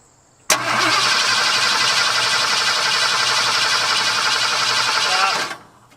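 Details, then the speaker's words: 1978 Ford F-150, flood-damaged, cranked with the fuel line off to check the mechanical fuel pump; V8 cranks steadily about five seconds with no firing, only occasional fuel gurgle, probably out of gas. "well there's like fuel once in a while it's like gurgle blah blah so it's probably just out of gas"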